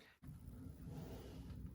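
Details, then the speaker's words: Hand-spun rotor on a car inspected after a drag week, quiet rough low rumble as it turns; outer wheel bearing going bad, chewing itself up, to be fixed with new bearings, races and repacking. "But I also found a bad wheel bearing starting to go bad. You'll see in this little video clip when I spun the rotor, you can hear it's not very happy."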